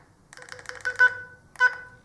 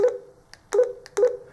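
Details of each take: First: Kirisun DP770 radio (rated IP67) after submersion in a sink of water: short keypad beeps sound harsh and buzzy, likely from water in the speaker. Distorted speaker beeps. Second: Kirisun DP770 DMR radio after submersion in a sink, dried and water blown from speaker: clean clear alert beeps with no buzz or muffling; normal alert tones.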